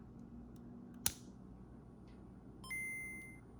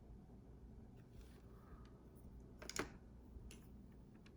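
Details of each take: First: Game Boy Color bought with no sound from the speaker, heard through the headphone jack: a low steady buzz or hum at any volume, quieter when turned down, then a clear startup chime. Owner guesses a loose connection; the speaker works but is very quiet. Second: Game Boy Color after replacing the faulty speaker (0.5W 23mm): clean, bright, undistorted beeps and game tones, so the speaker now works; a faint hum remains, especially at low volume.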